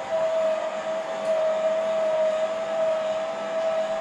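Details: Fifth wheel electric auto-leveling system, after clearing the error and holding retract: a steady mid-pitched motor whine for several seconds as the jacks retract normally.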